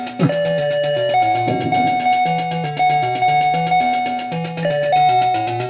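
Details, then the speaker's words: Moon Patrol arcade board set in cabinet: choppy stepped electronic tones in a jumbled loop instead of game sounds, game auto-coins and won't coin up; faulty CPU board. "we got some weird weird stuff going on right can't coin up it automatically coins over something i don't know what's going on um but obviously something is wrong with the board"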